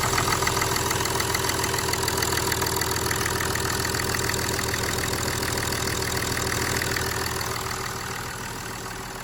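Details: BMW F07 530d N57 diesel, just repaired after pick-up pump debris damaged the high-pressure pump, injectors, pressure sensor and regulator; after injector change and bleeding, it catches and settles into a steady, even idle clatter with no misfire or stumble.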